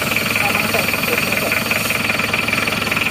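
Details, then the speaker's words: Panther diesel, cold morning start at about 29–30°, after a coolant leak fix and with a thermostat fitted, brief glow then started instantly: even, steady diesel clatter at idle with no misfire or stumble; normal cold idle. "kondisi start pagi kontak panasi sebentar sampai kontrolnya mati starter langsung hidup ya"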